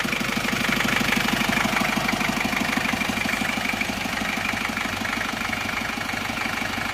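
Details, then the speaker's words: Isuzu Panther 2.3 diesel after rebuild of seized liners that caused lost compression: steady idle with no smoke, but a light, even tick about three times a second; valve clearance still too loose, to be adjusted. "cuma ini aja agak bubuk ini memang Karena ini klepnya belum merata ya masih terlalu longgar besok akan kita Setel lagi"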